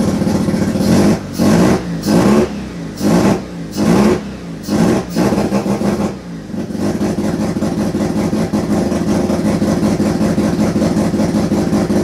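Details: Turbo II FB RX7 rotary engine on its first real run, after leading/trailing coil checks; uneven revving blips about once a second, then a lumpy, stumbling untuned idle, smoking out the garage. Rough running on first start.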